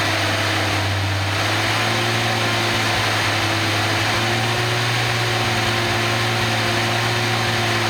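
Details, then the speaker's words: Nissan 280ZX turbo engine on a test stand, existing ECU in closed loop with green light flashing: smooth even hum with a steady low drone and no knocks or misses; normal idle, ECU works fine. "okay so from what I can see that ECU works just fine which is great"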